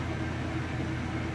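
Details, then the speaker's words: Maytag Centennial washer, final spin with heavy jeans and towels load: steady, even low whir with no thumping or banging as the drum spins fast and smooth; normal spin cycle. "all right guys we're moving into that final spin cycle here it's gonna get up to speed"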